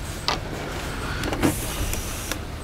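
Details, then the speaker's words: Hyundai Elantra with a no-crank fault and a known good starter: the starter relay clicks sharply a few times with no cranking; the relay box shows water intrusion and corrosion, with a wiring problem in the box; starter relay clicks, no crank. "so the relay's clicking and it was before but you know relays that click don't tell you what you need to know um we have a wiring problem in this box"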